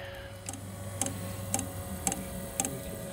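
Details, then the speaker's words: Espar hydronic coolant heater on the bench before fitting to a Peterbilt, igniter jumpered: crisp even ticks about twice a second over a faint hum, normal igniter clicking through start cycle; unit had been firing though debris suspected inside. "the igniter going [Music] sounds like you fired"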